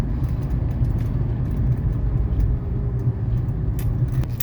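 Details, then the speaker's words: 1981 Mercedes 300SD (W126) diesel, barn find, on final test drive accelerating: deep steady diesel rumble pulling evenly under load, no knocking or whine; very healthy motor with excellent shifting. "very healthy motor excellent shifting"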